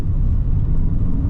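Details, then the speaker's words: High-mileage VW Scirocco, 142,000 miles, turbo diesel, road test at full throttle: deep, steady rumble with strong pull and no knocks, whistles or unwanted noises. The turbo is healthy. "woo it goes like clappers there certainly nothing wrong with TBO it absolutely flies it's not pulling there's no one wanted noises it feels absolutely fine"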